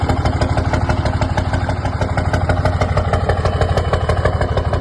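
Sharp, regular clatter of about three knocks a second over the idle, evenly spaced; a knock from one cylinder, cause not pinned down. Cause suspected, not confirmed.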